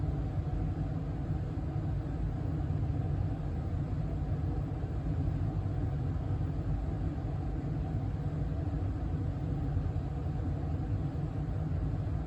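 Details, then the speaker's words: 2023 York HVAC indoor furnace blower running in fan-only mode, not cooling; low, smooth, steady airflow rumble with no knocks, rattles or whine, running evenly. "okay so that was just fan only that wasn't in cooling mode"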